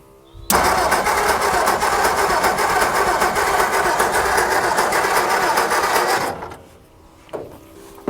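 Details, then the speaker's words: 1960 Ford F-350 that sat 34 years, 12 V confirmed at coil, in neutral. Starter cranks evenly for six seconds and it never catches. Spark tester shows no spark from the points, which will be replaced with a new set. Crank, no start. "Okay. So, we either have a points issue, which is really easy to check. Yeah, we are getting no points. No spark former points."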